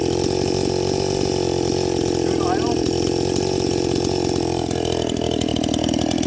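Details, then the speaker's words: First-generation Stihl MS261 with gutted ported muffler, rebuilt Zama carb high-tuned, Oregon chain, 30:1 91-octane mix, at 7000 ft cutting dry Ponderosa: steady even high-revving scream holding pitch in wood; healthy full-throttle cutting. "good cutting performance"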